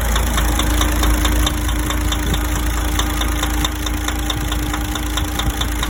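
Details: DAF 105 diesel at steady idle with a sharp tapping about three times a second in a rough rhythm; knock inside the engine, source undetermined.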